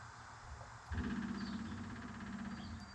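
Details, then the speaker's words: 1976 Ford Ranchero 500, 351 modified 400: faint steady buzzing hum of the electric fuel pump priming normally once its power connection was found; fuel supply restored. "Hear it? You hear that? Now we got fuel. Oh yeah. That's what it was."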